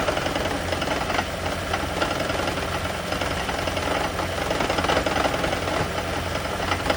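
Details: Lexus/Toyota hybrid, such as the CT200h or Prius, running; uneven metallic rattling and knocking, a loose clattery beat, an engine rattle attributed to the EGR system.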